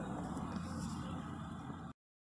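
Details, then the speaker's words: 2014 Audi A7 3.0 V6 that had code P0018 (crank/cam correlation), idling after cam timing was set, chain tensioners replaced and oil changed: quiet, smooth hum with no rattle or chain slap. Normal idle. "zincir gergileri değişti motor yağı değişti şu an Herhangi bir problem yok"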